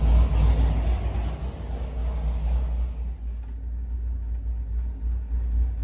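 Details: Big-block Chevy 467 V8 on the dyno, warmed up after carburetor screw adjustment, free-revving with crisp throttle response; deep, heavy rumble, strong and steady with no knocks or misses, a healthy engine running clean.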